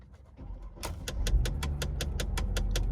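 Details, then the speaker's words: 2001 Mercedes-Benz C240, 135,000 miles: evenly spaced sharp clicks about four a second from behind the dash after start-up, likely a faulty blend door; the engine runs well. "Let's take her for a little spin, even though she's click, click, click, click, click, click, click."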